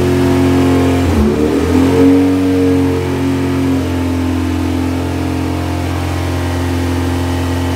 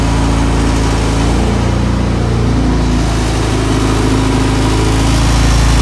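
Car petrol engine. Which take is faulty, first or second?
first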